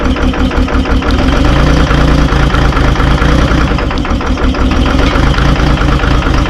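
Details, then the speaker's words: Terex 72-31 loader with 6V53 Detroit two-stroke diesel, first start in 20 years on 20-year-old fuel, started with ether; uneven, lumpy idle with stumbles, smoking badly; owner suspects a couple of hung-up injectors. "Heat up here. Sounds like it might have a couple injectors hung up."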